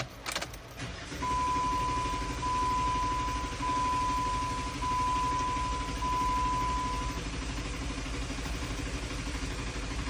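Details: 2008–2012 Jeep Wrangler 3.8 L with long crank, check engine light, crank sensor codes and misfires: about six seconds of steady starter whine before catching; cause was ruined, exposed wires at crank sensor connector on passenger-side bell housing, repaired.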